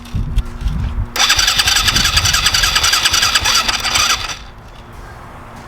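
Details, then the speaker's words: Newly bought dirt bike still on street tires cranks rapidly at about three to four pulses a second for about three seconds, then dies away without catching; cause unknown. "Oh shit. I don't know what's going on, but they didn't want to start"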